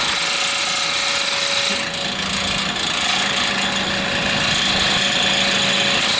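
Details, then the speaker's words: Vintage hassock fan with new replacement motor, first run after rewiring: steady motor hum with fast uneven buzzing rattle as the shaft rubs the top support bracket; fix is bending the bracket. "runs rattles issues that top bracket i gotta bend it so the shaft will stop rubbing on it so let me make some bends and fire it up again"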